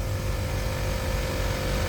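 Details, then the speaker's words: Lexus GX470 air suspension after air bag replacement and system reset, engine running: steady electric hum with constant tone over idle as the ride-height compressor runs and fills normally. "hit the off button there it goes it's running look at that look at the sucker phil over there what a beautiful thing"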